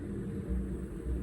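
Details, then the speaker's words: MaxxAir van roof fan after circuit board replacement and fitting a DC-DC converter: low steady motor hum as fan stops and spins back up in reverse, no beeping or shutdown as before; reverses normally. "And then we can reverse it. It should come to a stop and then start spinning the other way."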